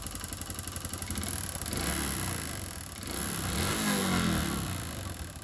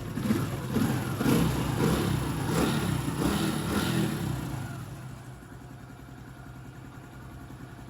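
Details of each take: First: Honda Pop 110i, about 25,000 km, after cam chain replacement: steady rapid metallic knocking about four a second at idle, rising with revs; engine ran without oil after oil pump gear failure, scoring the piston. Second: Honda Pop 110i, about 25,000 km, after engine rebuild: a few blips settling into a soft, steady idle with even light patter and no knocking; repair finished successfully.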